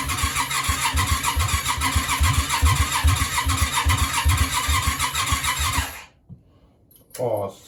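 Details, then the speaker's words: Yamaha Virago 535 project bike, partly rewired, cranking after a mixture adjustment: six seconds of fast starter churning with uneven sputters that never catch, then it stops. Cranks but won't start; cause unknown. "like she wants to go something's not something's not quite right"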